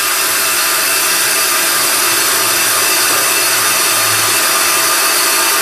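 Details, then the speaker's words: End of the final finish cut on a slotted brake disc with an EBC Pro-cut on-car lathe: steady, even hiss with no chatter or pulsing, then cutting stops; a clean finish as good as new, no chatter marks, aligned with the hub. "okay we're at the end of the cut now you can hear the cutting has stopped and there is the disc finish and that is a beautiful finish on that disc as good as the brand new disc itself"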